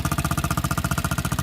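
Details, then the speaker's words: Water-cooled Chinese 250cc ATV/dirt bike, 140 hours, stock exhaust; muffled single-cylinder thump steady at about sixteen firings a second, no knocks or misses; healthy idle, runs well and reliable. "Still has stock exhaust, so it sounds muffled as, but it runs pretty good after quite a long time, and it's been reliable."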